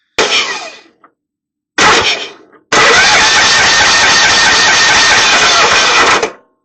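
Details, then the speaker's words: Craftsman GT5000 Kohler Command Pro cranking cleanly in two short cranks then a smooth three-second crank, no ticking or catching, after WD-40 lube freed a partially sticking intake valve stem (bent pushrod found); normal cranking. "Looks like the lube on the stem took care of that noise. Looks like the valve was sticking partially."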